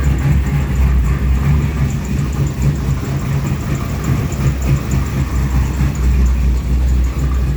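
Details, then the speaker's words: Boosted 441 engine on an MS3 Pro ECU, idling cold: steady, even, smooth rumble. When warm it breaks up and won't pass 2,700 rpm, despite new plugs, plug wires and coil packs; the intermittent fault is still undiagnosed. "So anyhow, she sounds good though. I mean, at idle until she starts spitting and coughing and farting."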